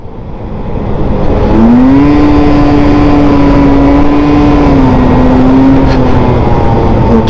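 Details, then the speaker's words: Small scooter in an on-road stop-start test, listening for an earlier turbo-blowoff-like CVT noise; engine note climbs then holds a steady drone with no whoosh or slip, noise gone, problem resolved, normal CVT acceleration. "all right so we're listening for like a turbo blowoff valve Noise Okay that was good didn't feel it didn't hear"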